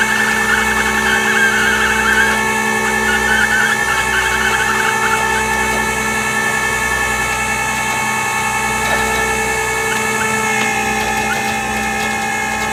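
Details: Toyota 4Runner with a bad transmission; steady high-pitched whine with several constant tones over the running drivetrain, a worn automatic transmission.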